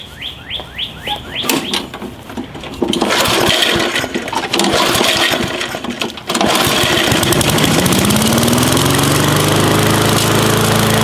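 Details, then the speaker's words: Gas lawn mower that wouldn't start after storing fuel without treatment, which clogged the carburetor orifices: after several pulls, carburetor work and a sputtering catch, it settles into a steady, even drone. Running fine. "once it starts and runs a while it's got to be fine"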